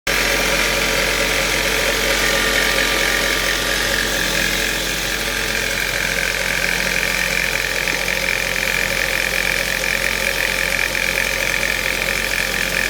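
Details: Ford Mondeo 1.8 petrol at idle: a sharp, fairly regular ticking clatter about four per second over a hissy top end; source unclear.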